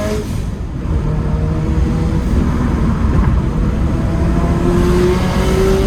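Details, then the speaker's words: Turbo Scion FR-S after fitting a NonStopTuning idler pulley kit, replacing noisy idler pulleys after a thrown belt, on a test drive: engine pulls and revs cleanly with a low, even note, no belt squeal, chirp or slap; belt drive healthy. "all right so i think it's safe to say that the belt is uh working since the water pump appears to still be functioning at this moment and i don't smell any of the horrible smells i smelled when we burnt it up the last time or hear it literally self-destructing in the engine bay"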